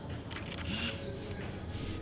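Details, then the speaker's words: Contax T2 compact film camera, serial 007432, everything said to work: focus then shutter release, a few short crisp quick mechanical clicks in a quiet room. Normal shutter operation. "Quick, pretty quick. Focus. Click."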